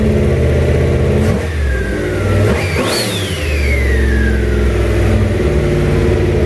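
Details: Junkyard 351W turbo V8 in a 1967 Mustang, first fire-up with headers and exhaust exiting off the fender; lumpy, uneven idle, then revs up and drops back, rough and untuned, definitely needs a tune.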